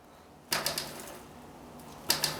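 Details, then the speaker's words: Bicycle being rocked: two quick bursts of sharp metallic knocks from a loose headset clunking; fix by loosening the two bolts and adjusting the headset. "you hear the clunk over here chances are you've gotta come down when you gotta loosen these two bolts over here and then adjust your headset"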